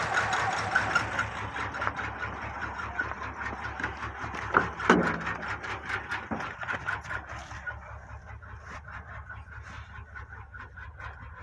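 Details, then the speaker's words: Nissan VQ35 petrol V6 idling cold on bank 1 only (cylinders 1, 3, 5; 2, 4, 6 cut), rough with an uneven knock about three beats per second, maybe slightly less knocking. "So that's now running on bank 1, cylinders 1, 3 and 5, and 2, 4 and 6 turned off, and it sounds much the same, maybe a little bit less knocking noise."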